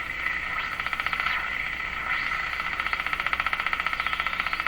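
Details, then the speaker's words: Electrohome Cosmic tube radio, warmed up, after mica capacitor replacement during alignment and reception test: thin high whistle over the station, sliding in pitch as the dial moves, with a fluttering pulse; interfering whistle tone on station. "okay so this this is exhibiting the sound a little bit"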